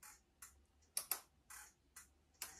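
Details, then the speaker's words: 1983 Honda XL250R (MD03) motorcycle being recommissioned: turn signal flasher relay giving crisp, even vintage-sounding clicks about twice a second with quiet gaps, working on both sides; normal. "Bon, les clignotants ça marche. Le relais, là le bruit, hein, ça fait très vintage."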